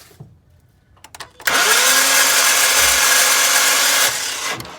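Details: 2012 Ford Mustang 3.7L V6 Cyclone, 130K miles, lost power while driving and won't restart: starter cranks in fast even whir with no compression beat or firing; timing slipped, crank sprocket spinning on crankshaft from sheared pin, interference engine.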